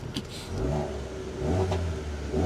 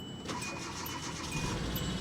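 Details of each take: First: Auction car with a MultiAir turbo engine, no clutch action and smoking when the clutch is released: three clean throttle blips with revs rising and falling smoothly and no knock or miss. The engine itself sounds healthy. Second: Auction Pontiac Grand Prix with old battery started for first time: catches and settles into uneven, stumbling idle with a missing beat, dead misfire, check engine light flashing.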